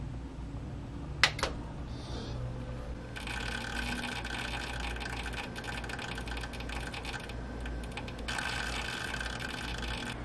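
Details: MSI 120R AIO liquid cooler in a custom PC under a stress test: a steady hum with a fast, uneven clicking rattle from the pump. The CPU overheats to 100 degrees despite new thermal paste and a properly installed cooler; pump failure is suspected.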